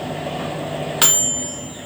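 A single bright bell strike rings out over the hum, then slowly fades: the normal end-of-cycle ding from the timer.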